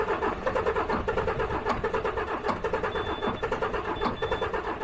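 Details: DAF XF truck diesel with low fuel rail pressure, cranked with an injector blanked off to test for a leaking injector: slow, rhythmic cranking beats about one per second that never catch; crank no start.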